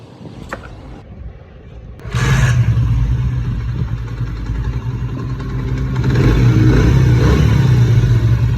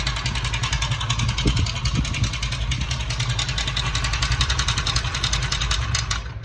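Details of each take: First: Motorcycle engine after an engine-noise repair: catches after a moment's quiet, then holds an even, steady idle with a light rev rise and no clatter. Runs healthy. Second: Bike engine noise problem solved #shortsfeed #experiements #bikeengine #zubairbikerepairing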